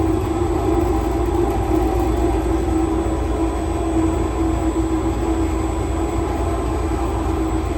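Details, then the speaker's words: Empty honey extractor (no honey or frames) on a new wheeled stand, in the honey house, run above 80% speed: steady low rumble and even hum with no knocking, rubbing or wobble. The stand shows no movement and works as intended. "The extractor is in place in the honey house. It seems to be working absolutely as I thought it might do."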